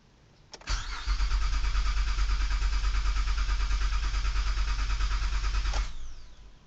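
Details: 2008 Honda Odyssey that won't start: steady starter churning about three beats a second for five seconds, engine never catches; cranks but no start.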